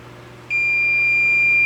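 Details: K7000 25-inch arcade monitor chassis that blew fuses: meter gives a single unbroken high continuity beep across original rectifier diode D20/D21, a dead short, likely from hookup without an isolation transformer.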